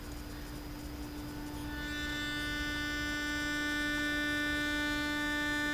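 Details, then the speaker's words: Zenith 6S229 vintage radio electrodynamic loudspeaker driven by a signal generator, field coil loaded at about half: low test tone turns rough and buzzy as louder, from torn paper cone and loose surround and gasket; lows worst, highs not too bad. "so you can hear the loudspeakers definitely compromised by the defects and the paper comb and the surround and the gasket being loose so if i were to use the loudspeaker in the condition it is the sound quality would be terrible"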